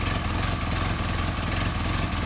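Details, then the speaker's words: Mercedes 190SL with Solex carburetors, started with a blip of fuel on choke before warm-up: even steady low putter settling into a clean idle; starting as it should. "starting normally i might just take like a blip of fuel and um ignition on choke all right that's that's how they should work and settle into um idle uh"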